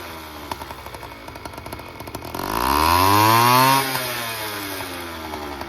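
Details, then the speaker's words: Honda Express 2 scooter, 60cc big bore two-stroke, after tuning, now reaching 35 mph: throttle blip sweeps smoothly to a high buzzing rev and back with no stumble; no longer bogs as before. "It's no longer bogging down, which was the main issue."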